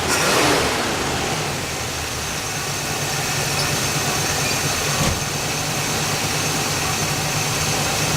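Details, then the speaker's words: El Camino first start after 15 years, battery fitted, fresh gas, primed carburetor, leaks fixed: catches with a brief rev, then settles into a steady, even idle with a smooth low hum and no misses; normal idle. "There you have it. After 15 years, with just a little bit of fresh gas,"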